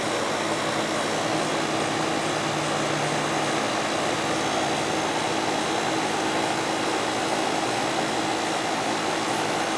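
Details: Goodman AC condenser with TXV during yearly maintenance after charge check, superheat and subcooling within 3: even, steady airy roar from fan and compressor, no knocks, rattles or surging; running normally.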